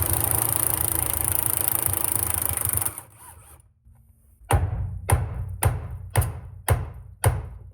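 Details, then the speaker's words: Car on a lift, front corner wheel swung with the tie rod disconnected: dull creaking clunk about twice a second persists, ruling out tie rods. "As you guys can hear, with that tie rod disconnected, we still have the noise."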